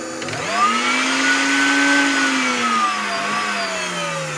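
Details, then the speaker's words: Clatronic KM2718 1000 W stand mixer: the motor spins up to a clean steady whine and winds down with no load, but the mixing head does not turn. A broken or loosened drive belt is suspected. "no mou la màquina de massa clatronic 1000 w , el seu problema és que el motor està intacte, però el suport de l'arma no es mou."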